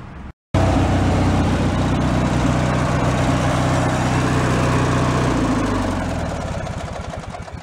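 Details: Free, previously derelict Craftsman riding mower, function check after electrical and safety-switch repairs: steady engine drone with a smooth firing beat, no knocks or squeals, then it winds down. Deck fairly quiet, bearings not noisy, runs normally.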